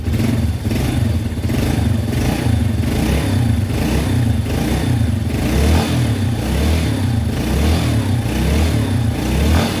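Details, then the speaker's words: Yamaha Vega R after a piston ring replacement for heavy white smoke, test-run with the exhaust not yet fitted. Small single-cylinder idle with a steady low putter, slightly uneven as it settles; smooth, with no rough noises. "Mesinnya sekarang sudah halus, tinggal menunggu sampai putaran idle-nya stabil. Tidak ada lagi suara-suara kasar."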